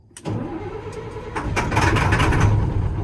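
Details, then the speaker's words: 2000 Stewart & Stevenson M1085A1 5-ton military diesel truck in cold winter wind, jumped with a secondary 24-volt battery bank. Slow regular chug about 3.5 beats a second, never catching; owner suspects lost fuel prime. "Oh, that sounded promising. Some sizzly noises. It's cranking. Might have lost prime."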